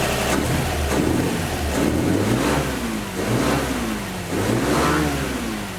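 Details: 1949 Chevy 3100 with 1954 235 inline-six, after replacing leaky exhaust donut at front Fenton cast-iron header: repeated smooth rev sweeps, no puffing or ticking at manifold; exhaust sealed, normal.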